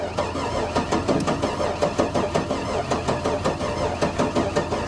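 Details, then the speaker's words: Buick Electra Park Avenue just fired up after a hard start: engine pulses unevenly about three beats a second, barely firing, not on all cylinders; owner suspects blown head gasket, doubts fuel pump priming is the issue; rough running. "nah that doesn't sound good guys [Applause] now she's not firing on all cylinders at all not even close i'm gonna bet blown head gasket on this one"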